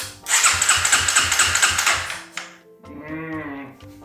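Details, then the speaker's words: Honda CRF300L (XR301) big bore build, first turnover with no fuel tank fitted so it cannot start: even, unhesitating starter cranking at about two compression strokes a second, with no catches or clatter; normal cranking. "won't start without a fuel tank on there but it's nice to see it turn it over and turned over with no real hesitation"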